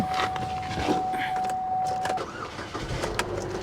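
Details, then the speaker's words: 2002 VW Cabriolet, started on a jump pack, catches quickly and settles into an even, steady idle with no knocks, misses or rattles; healthy start. "Fired right up. And it sounds great. Are you serious? It sounds absolutely great."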